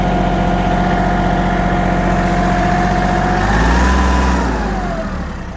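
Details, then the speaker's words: Kubota GL19 three-cylinder diesel mini tractor with front loader, exhaust on left fender, no smoke revving to 2000 rpm: steady, even idle with smooth rise in revs and back, no misses or knocks; engine runs smoothly and healthy. "Работает ровно, без вопросов. 3 цилиндра, GL-ка всегда работает, в принципе, почти."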